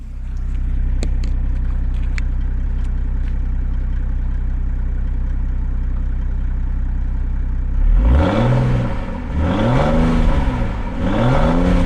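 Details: Donor diesel engine in a car bought for a Land Rover build, dealer-maintained, microphone near the exhaust: steady even low idle then several clean throttle blips rising and falling smoothly; healthy engine.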